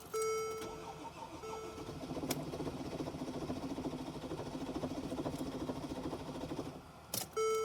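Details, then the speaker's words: 2014 Mercedes GL350 3.0 L diesel, crank-no-start, retried with the EGR valve disconnected: starter cranks steadily about five seconds with chime before and after, never catches; fuel delivery not suspected, cause still unknown. "happening. This is odd. Very odd. So EGR valve is disconnected. Same thing is happening."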